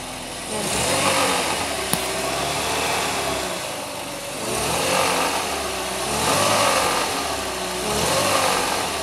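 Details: BMW E46 320i 150 hp, cold engine revved up and down: odd extra noise rising and falling with revs between 1700-2400 rpm, disappearing once coolant reaches about 80 °C; cause not identified.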